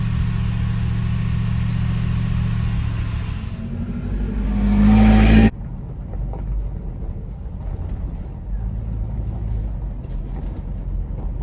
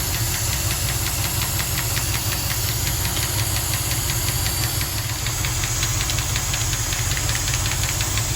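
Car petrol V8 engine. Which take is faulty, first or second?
second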